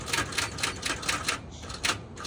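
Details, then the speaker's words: 2013 Kia Sorento on a jump box: rapid sharp clicking about four times a second when trying to start, with no cranking or engine catching. Seems unlikely to start. "he has the jump box hooked up to it while he's doing his thing up here I hear it clicking so she's"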